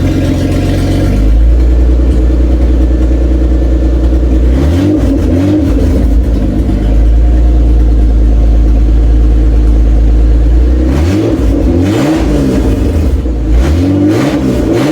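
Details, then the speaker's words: Toyota Cressida MX83, first start after engine reinstall and distributor re-timing, cold, exhaust not fully plumbed in: settles into an even idle, then picks up cleanly on throttle blips with exhaust-leak chuff; oil pressure good, sounds healthy. "Right now it sounds really good, so we're gonna fire it up, so see if it'll start."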